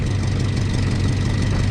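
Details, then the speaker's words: Lowered 1987 Toyota pickup SR5 with new headers and exhaust, idling: rapid ticking puff over a steady low idle, exhaust escaping from an unthreaded open hole from the bottom EGR piece near the manifold, left to fix later. "let's go for a little rip we can do that one tomorrow because it's called i want to drive so we have one more little leak i'll show it to you guys"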